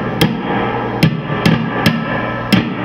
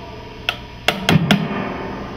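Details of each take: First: PRS tube amplifier, preamp input tube tapped on its side while holding the base: sharp taps about twice a second come through clean, with no crackle, popping or runaway squeal. The tube sounds good. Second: PRS tube amplifier fail test, tapping the chassis around the tube sockets: four sharp taps, each setting off a brief ringing thump through the speaker. The tube is microphonic; a loose filament can hit its side and kill the tube.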